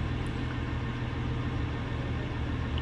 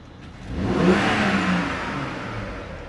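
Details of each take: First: BMW F01 740Li twin-turbo petrol V8, warm at about 70 °C idling: low, uneven thrum stumbling irregularly, cylinder misfire from a faulty injector, occurring hot or cold and felt as jerks in gear. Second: BMW F01 740Li twin-turbo petrol with intermittent misfire and suspected injector problem, engine at about 70°C: single quick rev that climbs and settles back smoothly with no hesitation or popping; normal revving.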